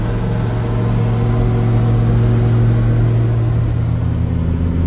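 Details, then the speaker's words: Mercedes Unimog, OM602 diesel, previously falling into limp mode with power loss after a few miles on gradients, test drive after small repair: steady deep drone pulling evenly under load, no flat spots or surging; running healthy. "okay so I am now on my test Rod number two and I'm already further than this thing has ever been without falling into Lim mode and it's driving beautifully it really is cooking along"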